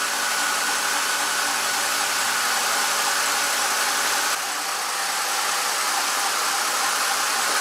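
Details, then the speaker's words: 2007 BMW X5 at warm idle, coolant near 195°F threshold: steady loud rushing whir as cooling fan kicks on and stays at full speed because of the failing electric water pump. "you can see the pump he's on we could see a little bit of speed on it but now that fans gonna keep going"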